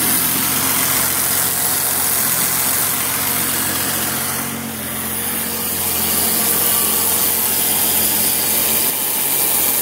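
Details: BMW E23 745i engine idling: steady buzz and strong hiss over a low, even rumble from the engine compartment; buzzing noise at idle.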